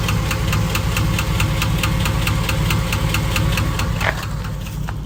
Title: 2005 Chevy Silverado red knock , lifter tick , piston slap ?